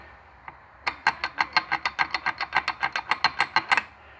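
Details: 2003 Yamaha YZ85 two-stroke blown engine, partly disassembled: rapid, even clicking at about six per second as the crank is turned by hand, rough notchy rotation from a disintegrated, failed main bearing.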